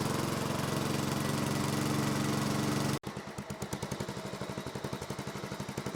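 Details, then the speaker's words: 1970s Massey Ferguson MF-12 garden tractor, Tecumseh 12 hp, running after the cracked head was replaced: brief cut-out, then lumpy uneven thumps with wandering loudness, unsteady idle; owner suspects the carb. "real happy with that. I'm sure grandpa will be too. Doesn't quite like to idle yet, but might have to go through the carb."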